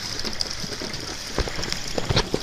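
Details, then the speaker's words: Late-1800s/early-1900s Smithen marital-aid machine run by a small Stirling (hot-air) engine: light, fairly regular metronome-like clicking over a soft mechanical whir as it turns; that clicking is normal for it. "you hear that kind of just clicking sound the machine makes kind of swill to have like a metronome effect and it's supposed to help the wife relax"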